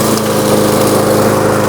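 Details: New Lowe's M230 163cc self-propelled lawnmower started in tall thin grass at about a 1.5-inch cutting height: steady, even buzz at constant high speed with no misses or surging; the small engine runs clean.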